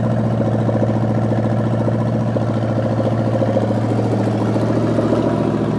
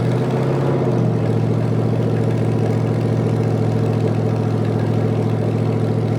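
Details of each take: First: Rebuilt '73 Canadian truck 350 Chevy V8 (replaced piston and rod, big cam, fuelie heads) run with no fan, warming up: high, uneven loping idle, wandering beat about 3.5 pulses a second; ignition timing way off, distributor twisted. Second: 1973 Canadian truck Chevy 350 V8, rebuilt with a replaced piston and rod, big cam and fuelie heads, warming toward operating temperature, no fan: deep, steady idle with even lumpy cam beat, no knocks or ticks; normal idle.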